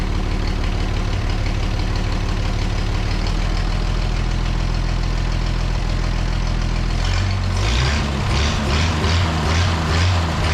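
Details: The Rockabilly Rat, an old truck engine, caught after getting spark to the plug and adjusting timing and keeps running with a deep, even low rumble.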